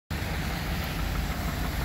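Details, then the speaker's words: Dodge Durango with a knocking motor before a neutral drop until it locked up: rough, low idle with a faint, uneven knocking under the engine's rumble. "You can hear this thing knocking from a mile away. That's not opportunity knocking either."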